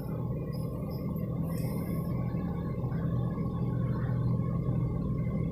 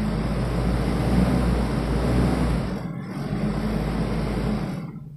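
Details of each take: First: 1991 Toyota Kijang Super 1.5 manual, carbureted, just after a cold start: deep steady low rumble with the throttle held slightly open, slightly uneven beat; the engine stumbles unless the gas is held while cold. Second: 1991 Toyota Kijang Super 1.5 manual, carbureted petrol engine held at a raised idle just after a cold start, running steadily before dropping off; without throttle it runs unevenly.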